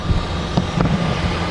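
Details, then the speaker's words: Used Kia K7 LPG car at idle during pre-purchase inspection: soft even low hum, no ticking or knocking; very quiet, far quieter than petrol or diesel cars; healthy. "정말 조용하죠. 정말 휘발유 차량하고 또 경유 차량하고 정말 천지 차이인 것 같습니다."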